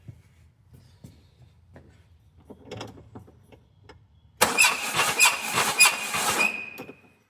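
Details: Peugeot 205 XR, out of storage for years, cranking during a compression test: harsh clatter about twice a second and a mechanical clunk. Cylinders one and two read 120; the owner fears a bad reading on number three.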